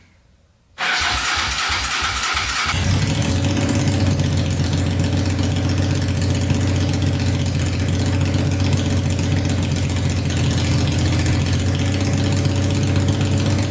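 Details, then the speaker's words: Honda 500cc engine swapped into a tractor, first start after a carb clean, wiring fixes and fresh gas, no coolant added yet: brief cranking, then a loud, steady, even idle with no misfire; a healthy idle. "Sounds really good. Idles perfectly. So yeah, all it really needed was a carb clean and a little wiring."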